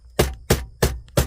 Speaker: This one vent over here likes to rattle. When I take my finger off it, you can hear it. That one doing the same thing.